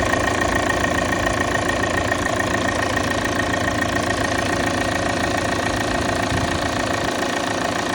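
Diesel idling fast and even after a cold start, with a steady high buzzing tone riding over the clatter; source unclear.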